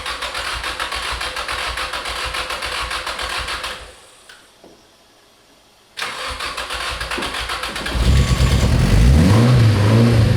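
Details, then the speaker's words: Abandoned Nissan 240SX S13 with SR20DET swap, started for the first time in about 14 years: starter spins, the engine catches and settles into a steady idle, then a clean rev. It sounds healthy; normal start and idle. "running it sounds amazing very cool"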